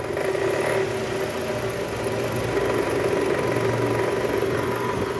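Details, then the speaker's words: 2008 Toyota Camry XV40, 2AZ-FE engine, at idle with AC on and in R or D (noise gone in neutral): rough idle with a coarse rattling hum and irregular clatter about four times a second from the oil pan area; worn or loose balancer shaft. "nah bunyi kernya ini kita ah analisa sumbernya ada di panci oli indikasi balanersapnya sudah aus atau oblak guys"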